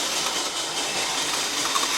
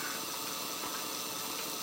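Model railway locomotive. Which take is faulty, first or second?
first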